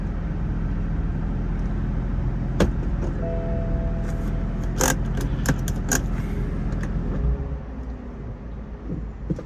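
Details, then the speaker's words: 2015 BMW M4 F83 convertible, S55 engine, about 64,000-65,000 miles, idling in Drive under load: idle dips and a thin howling whistle from the engine compartment, caused by a failed crankcase vent valve in the valve cover, fixed by replacing the valve cover. "there it is right there so that's the noise that it's making so this one this one right here is got about got 64,000 Mi on it almost 65 and now you can hear that howling noise coming from the engine area"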